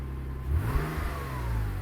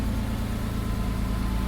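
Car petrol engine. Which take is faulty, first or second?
second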